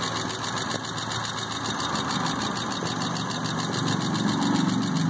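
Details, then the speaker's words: Car just started after fuel pump troubleshooting, cold and not run for a long time: light, quick top-end ticking about four a second at idle; lifter tick that quieted down greatly once it warmed up. "See if the engine quiets down here soon, because it's hadn't been running a long time. You can hear the lifter ticking."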